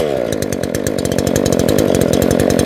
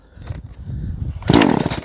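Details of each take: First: Chainsaw, deliberately flooded by leaving the choke on for about five pulls, cleared by repeated pulls; it then fires and runs with a quick, buzzy two-stroke beat for a few seconds before cutting out, starting cleanly. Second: Engine pulled on choke: a few rasping cord pulls, then one sharp pop and brief sputter as it fires once; first-fire on choke.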